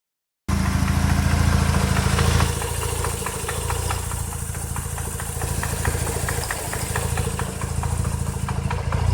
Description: Rx8 engine knocking starts fine drives great its just that engine knocking and when I give it some gas it sounds more please help!!